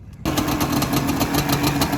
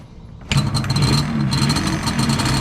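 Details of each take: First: Yamaha Banshee two-stroke ATV after kickstarter rebuild (new ball bearing, spring and seal) to cure a rattle: starts at once into a crisp, even idle with steady crackle and no rattle; normal idle. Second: Yamaha Banshee two-stroke ATV revving: a loose metallic rattle rides over the engine as revs climb, from the kickstarter assembly having play; the fix planned is rebuilding the kickstarter ball bearing, spring and seal.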